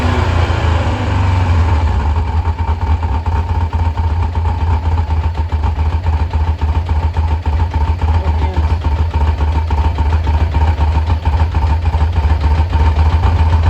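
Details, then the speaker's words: 1986 Kawasaki Concours ZG1000 idling after its carbs were reinstalled. It blows a little smoke and the owner is unsure whether it runs rich or burns oil. Steady, low, even idle with no knocks or misses; normal idle. "sitting here idling nicely it's been a long day dark outside"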